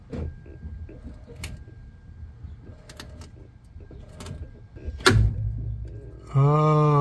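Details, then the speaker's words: Toyota jacked up, engine off, steering wheel turned: irregular dull clunks and smaller knocks a second or so apart, caused by a seized, rusted strut top mount rather than the steering shaft. "I could even hear like smaller little clunks and noises and then you'd hear like a big boom or whatever anyway um so that's what this noise is so it's not just like steering shaft"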